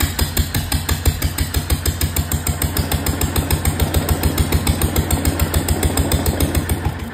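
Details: 1925 National 5V petrol-paraffin engine, first start in decades (a 2005 attempt gave only pops), running with no exhaust fitted and fuel, cooling and governor not yet set: loud, uneven open bangs about three a second over a deep thump.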